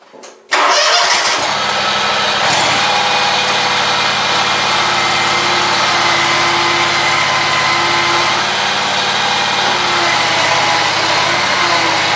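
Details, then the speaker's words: Scag mower engine running: a constant loud, gritty racket with a steady howl that gets louder when pressure is put on the idler pulley; a bad idler pulley bearing, though the belt was not yet ruled out. "so I'm thinking it has to do with this islur pulley there but I'm not sure because soon as you put a little pressure on there makes a lot of racket"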